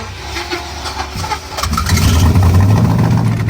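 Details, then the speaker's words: Used $100 4.8L V8 in the Badillac after a nitrous run at a dirt drag race, dipstick pushed out: hard to refire, then a lumpy, uneven beat. "we got her back running but she's not sounding too hot it took a lot to get it to fire back up"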